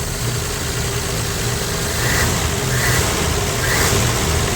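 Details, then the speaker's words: 1965 Plymouth Valiant 100 slant six with 3-speed, first start in years after fuel priming, idles smoothly and evenly with no knocks or stumbles; oil light inoperative, some smoke afterwards. "Woo! Well, that's awesome, man. Well, that sounds good. That's idling nice."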